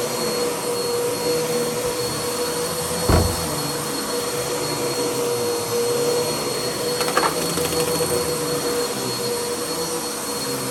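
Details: Bissell CleanView vacuum after its bad motor was replaced with a used donor motor: steady, even motor whine at constant pitch, quieter than before, only brief handling bumps, no grinding or rattle; motor runs healthy.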